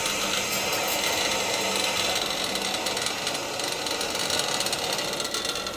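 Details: Gas hot-water boiler, second floor zone, after a pipe repair with couplings, turned on to check for leaks: steady rushing hiss of water filling the pipes with no spitting or dripping. The refilled zone is taking water normally.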